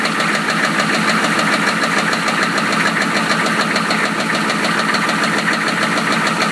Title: 1993 Chevy rod knock pt.3